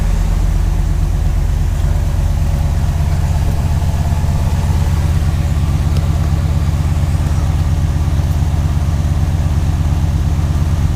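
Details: 1968 Chevrolet Impala V8 idling after dual exhaust installation, valve adjustment for noisy lifters and refitting the spark plugs: a steady, even burble with a regular deep pulse and no ticking or miss. It sounds healthy.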